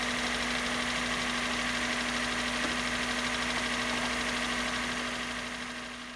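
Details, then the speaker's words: Project car (rare, hybrid, 5-speed manual) started via remote starter switch bypassing the computer after sitting a long time; steady idle with constant hum and busy clattery top-end ticking about three per second, noisy after long storage. "oh boy that was not expected you know the engine's a little noisy but that is to be expected after sitting many"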